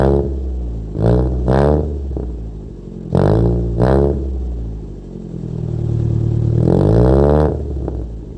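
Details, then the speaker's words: Wrecked Toyota Corolla with a throttle body fault, after distributor settings were changed and the throttle left unfixed: the engine blips up and drops back harshly in uneven bursts with no real power, not drivable. Cause unconfirmed. "as you can hear that he doesn't have power he does not have power at all so I don't think it's drivable the way it is"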